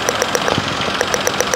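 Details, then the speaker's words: Perodua Axia, engine idling with the air box opened to reach the plug coils: crisp, evenly spaced snaps about seven or eight a second over a steady idle show a strong spark, so the coil is working normally. "Makna kata lah, bila bunyi tu dia spark kuat tau. Tak. Itu tandanya plug coil korang yang pertama dia bekerja."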